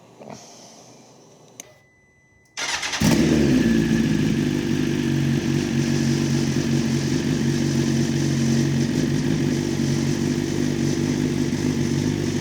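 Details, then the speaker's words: Crash-damaged BMW S1000RR superbike being rebuilt, silencer removed: brief cranking, then catches and settles into loud, raspy, steady idle; normal start and idle without silencer. "One last thing I'm going to try and do is start it and see if it actually runs. Try not to blow it up. And fingers crossed, this sounds awesome because we've taken that silencer out."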